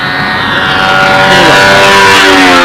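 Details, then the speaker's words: Jett 50 model aircraft engine at full throttle, high screaming note climbing as it comes onto the pipe with the pipe rattling; needle setting about right. "now this this is a nice setting right here you can hear the pipe rattling it's right just about where it should be"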